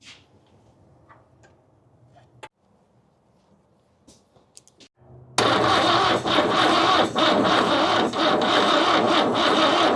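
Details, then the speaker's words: 1969 Toyota Corona parked 33 years, with compression, spark, oil and a full 12-volt battery: a long, slow, steady churning crank that never catches or speeds up; it won't fire and sounds rough. "It's got spark. Boy, it sounds bad. That's a full battery too. It should be cranking over like zzz. Yeah, it ain't even trying to"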